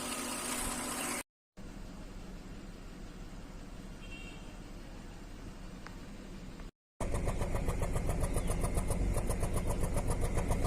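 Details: Toyota Camry with flashing check engine light, misfire in cylinder 6 persisting after new spark plug; bad ignition coil 6: engine cranks, catches, then idles with steady beat that stumbles now and then.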